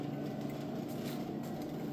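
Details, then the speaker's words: Manual air hose reel after replacing the swivel joint O-rings, compressor running and the reel fully charged: steady low compressor drone with no hiss, no leak. "no leaks. This isn't a trick, thing's still on, as you can see."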